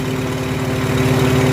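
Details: Farmall H tractor engine after tune-up work (new plugs, plug wires) and a cracked spark plug side electrode pulled out and straightened; now steady, even low idle, no misses, sounding much better; problem found and solved.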